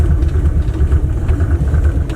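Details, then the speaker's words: Dodge Aspen V8, about 90,000 miles, first run after sitting 17 years: lumpy, uneven low rumble with irregular pulses and dropouts; running rough and dies at the slightest throttle, likely not firing on all cylinders. "does not like the slightest bit of throttle I tried it just dies"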